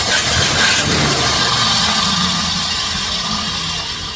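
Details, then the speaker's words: 1967 Chrysler Newport sitting for years, no fuel reaching the clear filter from the tank, fired on fluid squirted down the carb: engine catches briefly with an uneven sputtering roar, then dies starved of fuel; owner questions whether the fuel pump will pump. "That was a runner. Okay, the problem is we still haven't pulled any fuel out of the tank. So the question is that fuel pump going to pump? I like how it fired off there for a second."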